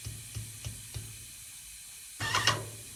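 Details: Yokiji 120 paint sprayer tested after repair: light pump ticks about three per second then crisp spray hiss burst; pressurising and spraying properly.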